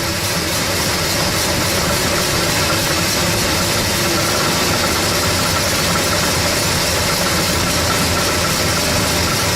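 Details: 1970 Oldsmobile Cutlass V8 cold start after sitting a while: loud steady idle with fast tinny rattle, about four per second, from the exhaust header hitting the frame; header needs adjusting.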